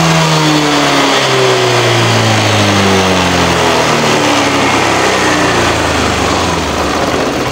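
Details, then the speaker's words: Honda Vario scooter with short spark plug life (about one week), heavy fuel use and power drop, before drilling the silencer. Revs hang, then sag and struggle to pick up under throttle, held back by a clogged exhaust and catalytic converter. "suaranya semcam ini nah pas ditarik ke sini ya Tu nahankan itu sebelum saya kasih lubang ini di sini itu suaranya nya parah itu ya"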